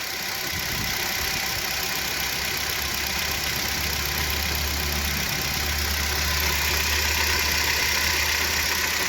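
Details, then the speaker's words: Kia Rio 3 1.6 at 75,000 km idling: steady idle with a faint, even tapping about four times a second; the power steering pump was knocking, not the pistons, as the knock vanished with its belt removed. "в общем не слушайте никого снял я вот этот ремень оказывается стучал у меня насос"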